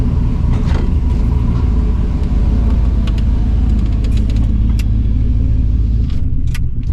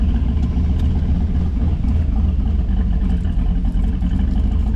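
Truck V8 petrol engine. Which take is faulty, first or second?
first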